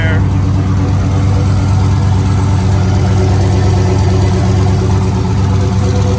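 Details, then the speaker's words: 2005 GMC truck with a new boost-ready 5.3L V8 and a single turbo kit, first start on a fresh tune file: deep, even idle with no misses or surging, good oil pressure, no leaks, slight exhaust leak off the downpipe. "but you can hear the truck sounding great"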